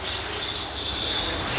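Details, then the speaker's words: Renault Logan/Sandero not engaging gears, clutch pedal pressed: loud high-pitched squealing whistle over a faint low hum from the clutch release bearing; gears hard to engage. Worn clutch release bearing squeal. "Ele vai pisar na embreagem lá, vamos dar uma olhada lá o barulho. Dá pra ver o rolamento chiando bastante, só que o carro também não tá engatando."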